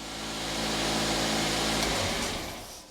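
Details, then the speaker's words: 2010 Mazda 2 1.5 petrol, 68,000 miles, idling just after spark plug change: smooth, steady even four-cylinder hum with no misfire; runs fine. "so I'll fire it up and uh make sure that runs nicely hopefully knowing this far [Music] oh sounds good to me"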